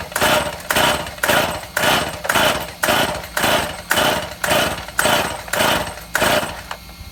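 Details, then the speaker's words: Stihl MS171 chainsaw with new ignition module and fresh shop fuel, test start outside: repeated rope pulls about two per second, rasping whirr that never catches; cranking but not firing, unsuccessful start. "Okay, we're back in the shop. after an unsuccessful attempted start."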